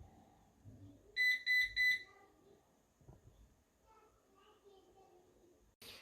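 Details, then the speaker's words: Eufy RoboVac 11 robot vacuum: a quick run of short, shrill beeps, four beeps, the error code for a stuck brush, though no visible obstruction on the brush. "it's making a lot of beeping noises and if you count them it's four beeps which tells us that this brush is stuck"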